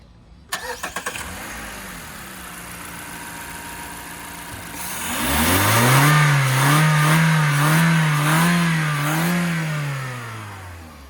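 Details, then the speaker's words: 2012 Mazda 3 2.0L Skyactiv just after swapping the stock air intake for an HPS short ram air intake: engine starts, idles evenly, then revs smoothly to just over 5,000 rpm and back with audible intake noise, no knock or rattle; normal revving. "What was that? That sounds better. You can hear the intake."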